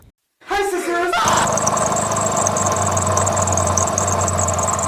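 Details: Toyota RAV4 engine running with the belt on: steady high squeal and rough chirping over idle, gone with the belt off; traced to a pulley with a worn bearing and excessive wobble.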